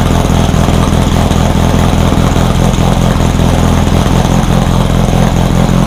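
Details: Rebuilt VW 1600 flat-four in a Baja Bug, first start after a two-year teardown, after retarding over-advanced timing: steady, even low putter at idle with no misses or knocks; it fired up and ran pretty good.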